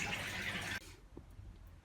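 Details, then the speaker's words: Beko WM85135LW washing machine sold as broken, program cancelled by holding 3 seconds: brief loud rush of water then a quiet trickle as the drain pump empties the drum; draining normally. "and that sends the pump water out over there so it's just draining out and canceling the load"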